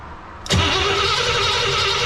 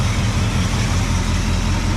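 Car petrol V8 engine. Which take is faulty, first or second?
first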